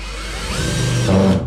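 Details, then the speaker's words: Drill-driver driving a screw into wood for temporary cabin steps in a sailboat restoration: whine rises, then pitch drops and strains as the screw seats, the cue to stop; advised to back off to torque setting 5. "Now as soon as you hear it go like that, that means stop, stop, stop."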